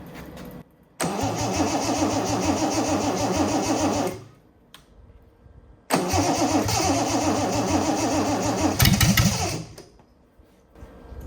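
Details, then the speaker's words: Freshly rebuilt Triumph TR6 six on first start, cold, on chokes, carbs not yet adjusted; two short cranking starts, each catching into a ragged, uneven run that dies away. Runs well once warm with chokes off. "It's cold and these carbs are not adjusted, so I don't know."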